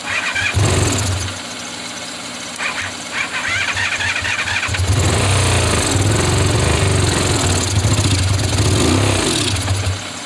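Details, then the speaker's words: 1985 Honda VF500F Interceptor motorcycle, carburetors previously cleaned, gas sprayed into intake from a bottle: engine catches in short ragged bursts, revs briefly, dies and refires; runs only on sprayed fuel, fuel not getting through the carburetors. "we don't have a fuel leak when i spray the gas inside of here i just don't know why it's not going through the carburetors again dude it's so stupid"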